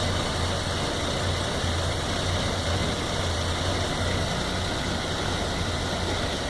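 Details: 1997 Toyota Land Cruiser FZJ80 1FZE at low idle with an uneven, lumpy beat and stumbles; rough idle persisting to about 2000 RPM, MAF connections and vacuum leaks checked, owner suspects ECU relearn after driving; cause unconfirmed.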